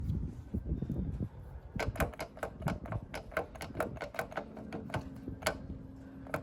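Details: Minibike wheel spinning freely gives sharp dry ticks about three a second, a regular click from one side of the hub only; owner suspects a bad or too-small wheel bearing or the rim, not confirmed.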